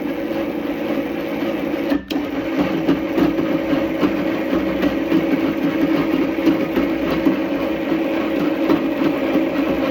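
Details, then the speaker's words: Power Plus chain drive running forward and reverse after motor adjusted to remove slack and align sprockets: steady mechanical whir with even chain chatter, no clunking; earlier clunk came from misaligned sprockets. "so just to recap trial and error process tightening and loosening these bolts to align the motor making sure you get all the slack out of the chain and getting these sprockets aligned until everything runs smooth"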